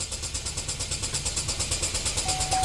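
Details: 2012 Chevy Equinox direct-injected engine, code P0615, 2,100 psi rail pressure, battery charger at 14 V: even cranking about seven or eight pulses a second that never fires and won't stop; problem began after aftermarket alarm install/removal, traced to failed engine control module.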